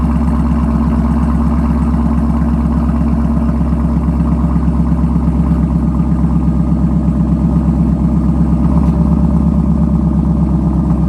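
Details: Camaro SS V8 just fitted with an MBRP axle-back quad-tip exhaust, first start-up: deep, even burble, steady rumbling rhythm, throaty exhaust, no ticks or misses; normal healthy idle.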